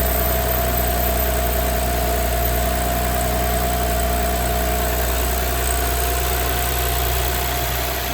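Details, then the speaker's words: Audi B9 S5 convertible at 58,000 miles after rocker arm replacement, walnut-blast intake valve carbon cleaning and water pump replacement; loud steady idle with a throaty exhaust drone and no ticking or tapping, engine runs smoothly. "The car's fine. It drives perfectly. It boosts well. There's no tapping or anything like that."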